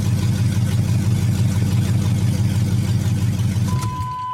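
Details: 5.3 LS-swapped third-gen Pontiac Firebird idling after a new fuel system install (stainless sending unit, braided lines, inline filter, quick disconnects): deep, steady V8 idle, even low rumble, no knocks or ticks; running healthy.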